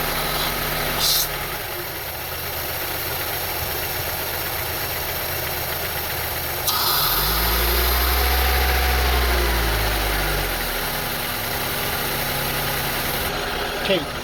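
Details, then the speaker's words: 2002 Honda CR-V 2.4L with rough idle, stalling and surging, during IACV/throttle body diagnosis with a hole left open. Idle is lumpy and uneven with a low surge. Cause not confirmed. "now you can hear the sound, you can hear the engine very bad."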